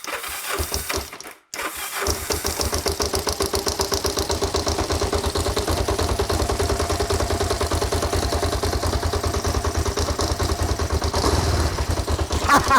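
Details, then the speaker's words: Kawasaki GPZ 500S left outside three to four years, restarted on choke after extra battery charge and fuel: cranks briefly, catches and settles into an even twin-cylinder beat, not very smoky. Normal running. "three to four years stuck outside I am well chuffed and not very smoky either"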